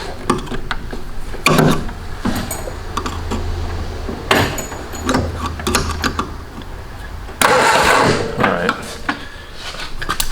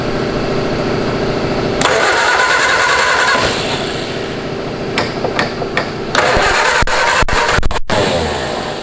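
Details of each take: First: 1970s canoe hot rod built from a 1953 Ford Anglia, unrun for 47 years, on a 12-volt battery: several short bursts of steady starter cranking that never catch; only a weak spark from dirty ignition points that need cleaning. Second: Home-built canoe hot rod with 1953 Ford Anglia flathead engine, first run after 47 years, in neutral, new plug: catches and runs with a steady, fairly even beat, no misfire or clatter; runs smooth.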